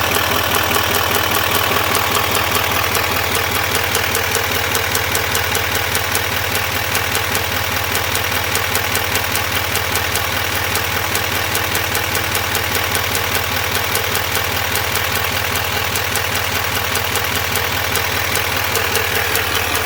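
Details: 2021 Duramax L5P diesel pickup idling with quick steady ticking over the engine clatter, cause unknown.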